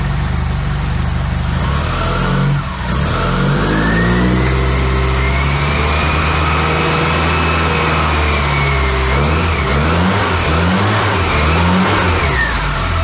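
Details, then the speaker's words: Classic Austin Mini engine on first start in 9 months, basic ignition timing set, no coolant yet; smooth even running revving up cleanly and settling, no misses or knocks, oil and charging lights out, no leaks. "sweeter than that oil lights out charging lights out no leaks and obviously it was moving so yeah i'm well pleased"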